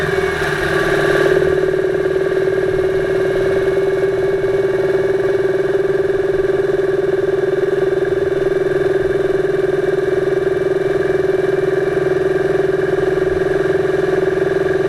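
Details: 2008 Subaru Impreza 2.5i driving, microphone above the driver-side timing belt cover: dull woody knock three to four times a second under light load, loudest around 2500 rpm in any gear, reduced with more load, absent without load or below 2000 rpm; cause undiagnosed, rod-knock-like.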